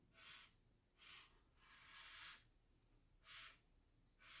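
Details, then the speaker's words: Chevy 350 TBI engine rebuild, crank turned by hand after torquing bolts to 20 ft-lb, before cam install: soft scraping hiss in regular surges as the rings ride the cylinders; normal drag, feels okay. "you can hear the rain's in there grabbing or going up and down the cylinder there anyway feels okay"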